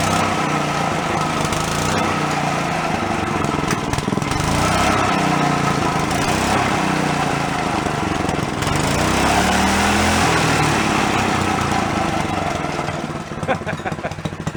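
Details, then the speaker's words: Long-stored Yerfdog go-kart single-cylinder, now running on its own without thumb-choking: buzzing, pitch rising and dipping with throttle, keeps running; owner thinks a blocked carb passage or vent suddenly cleared. "don't know what fixed it all of a sudden just kind of pulled through and it started going on its own for me thumbing it"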